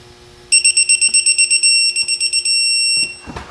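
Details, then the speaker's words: 1965 Chevrolet Impala 327 budget rebuild: oil pump being torqued to 65 ft lbs, rapid high electronic beeps about four a second then one long steady tone as the torque wrench signals target reached. "And we're going to go ahead and torque our oil pump down to 65 ft lbs."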